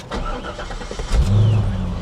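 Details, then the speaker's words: Manual car, odometer about 14,775, quarter tank of gas: the starter turns briefly, then the engine fires right up and settles into a steady, even idle with no knocks, stumbles or warning lights; runs perfect. "it fired right up it's got a quarter tank of gas turn the E bra off see what lights we have on nothing it runs perfect"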